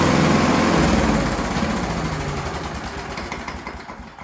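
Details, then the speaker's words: Scott Bonnar alloy mower with a Briggs & Stratton 4-stroke before repair, never reaching full revs: it chugs at a low steady pace that doesn't climb from minimum to maximum throttle, then fades; governor springs suspected. "basically it doesn't sound like the revs are changing at all from the minimum setting all the way up to the maximum setting"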